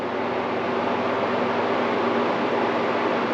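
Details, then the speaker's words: New air conditioner with replacement 20 A GFCI power cord, first test before switching to cool: steady, even fan hum and airflow rush with no rattles, scrapes or ticking; fan working fine. "So we should have air conditioner here. Fan's working fine."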